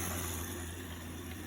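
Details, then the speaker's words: AEG i10 dishwasher after clearing water-softener poly beads that had clogged it and caused an error: even low hum with steady water hiss, no stutter or surging; fill cycle now healthy, unlike before the fix. "that's a healthy sounding fill cycle now. It sounds like it's filling beautifully. We weren't hearing that before."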